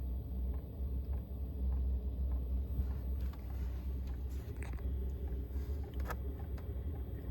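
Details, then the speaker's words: Newly installed diesel heater in a Chevy Express camper van on its first startup test, glow plug and fan at maximum: soft burner rumble, dry pump ticks coming closer together. It has ignited and is working up to speed normally. "So it has started to ignite. Now you can hear the pump is starting to pick up speed."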